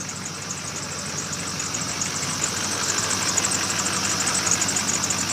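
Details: 2002 Chevrolet LB7 Duramax diesel that died after a cold winter start unplugged and would not restart, now running after fuel filter change and re-priming: steady even clatter, no misses; healthy idle.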